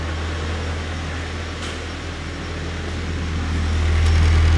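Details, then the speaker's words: Nissan S14 with 140,000 km, idling after first start: soft, even low hum with faint clutch-fan whirr, very quiet, no knocks or misses; normal healthy idle. "it's so quiet what the heck s14s are the best"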